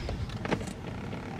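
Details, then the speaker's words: BMW 5 Series seat, thigh-support switch pressed: a short, quiet motor whir about a second long. The motor runs and sounds healthy, but the thigh support does not extend; the other side works, so this side needs fixing. "It's not coming out, but you can definitely hear the motor working."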